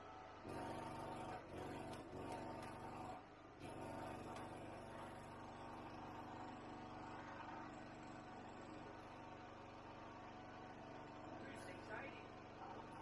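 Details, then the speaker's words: Ryobi 2500W generator, stored about 12 months, carrying about 2680W (400W pump, 400W lamp, vacuum). The engine drops and labours with a rough wavering roar, struggling right at its rated capacity. "so we got the two 680 and as you can hear it was really really struggling pretty much right on the money for what it says"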